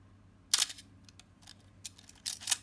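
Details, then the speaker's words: Canon A-1 35mm film camera after extra lubricant and repeated shutter releases: a few crisp, clean shutter clicks in under three seconds with no squeak trailing; shutter sounds healthy (squeak later returned days afterward). "much better i think that uh that was just a little bit more lubricant and a couple more shutter releases i think i'll fix it"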